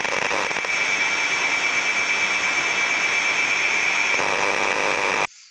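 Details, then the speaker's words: Electrical distribution cabinet with no moving parts, heard by ultrasound with the contact method on the cabinet body before access. Constant rough buzzing hiss with a faint steady tone and a non-uniform, intense pattern, small 50 Hz harmonics: abnormal, suspected electrical discharge. "as we can hear from that sound it doesn't vary it doesn't sound very normal it sounds very abnormal for something that has no moving parts inside"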